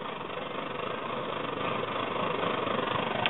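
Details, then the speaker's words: Svea 123R stove just reassembled and lit, blue flame but still heating up so tank pressure is still building: a steady, soft hissing roar with no pulsing. Weak burner roar. "flame and you can see it's pretty weak you can hear it too it's pretty weak right now that's cuz it's still heating up now the hotter these get the more pressure forms inside the tank"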